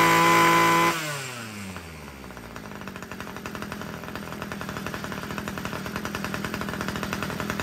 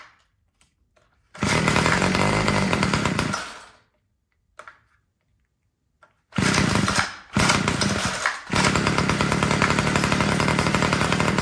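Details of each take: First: Homelite two-stroke weed eater after richening the carburetor low-end screw: fires up, revs, then settles into a steady even idle without surging; it had been too lean and stalling, now runs properly. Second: Homelite two-stroke string trimmer that wouldn't start, primed and on full choke; catches and buzzes, fades and dies after a couple seconds, restarts and stumbles; idle screw looks correct, sounds like running out of gas, low-end mixture to be richened.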